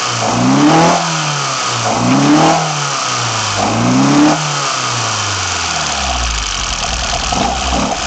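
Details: BMW 318i with M10 engine on newly fitted sidedraft individual throttle bodies, first startup: crisp, even throttle blips rising and falling, settling to steady idle; normal, responsive revving, though a slight whistle is noticed afterwards.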